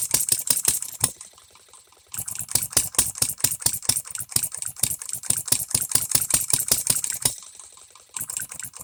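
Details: Economy hit-and-miss engine, new shop-made piston and rings: sharp rapid firing clicks about six a second, cutting out for a second at a time, uneven; first sustained hit-and-miss running, still needs tweaking.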